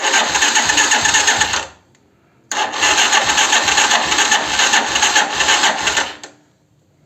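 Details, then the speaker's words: 125Z motorcycle starter cranking with a crackling noise: slow, labored whir and dull thumps about two or three a second, not catching, sometimes slow or failing to start; Bendix suspected, worn starter brushes. "Y lo que hace es un ruido al darle marcha. Es como un tronido."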